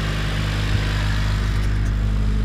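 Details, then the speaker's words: Honda Civic that would not start, with oil-covered spark plugs; the fuel filter was replaced and it then started right up. Steady, even low petrol rumble with no misses, knocks or stumbles: a normal idle. "once I once I change the fuel filter it started right up I have to go back and kind up a little bit it sounds good"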